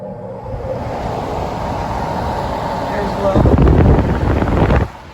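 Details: Four-speed box fan with blade pitch increased, running on low: a steady rush of air with a soft motor hum and no rattle or rub; normal running.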